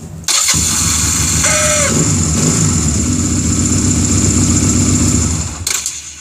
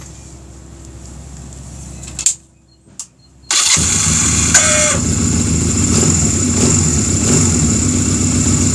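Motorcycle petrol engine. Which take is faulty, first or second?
second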